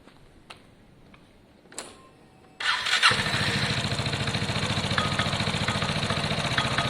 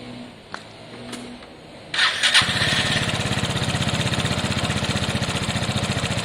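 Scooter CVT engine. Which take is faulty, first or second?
first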